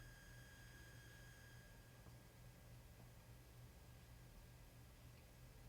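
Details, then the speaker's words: Aiyima A07 amplifier on Aiyima 48 V 5.2 A power supply: faint, steady high tone of about 1700 Hz over low hum and hiss, audible at 12 o'clock and full volume; noise from the power supply, absent with the stock supply. "this is about a 1700 hertz test tone that's coming through and it's audible at 12 o'clock and it's audible at full tilt as well"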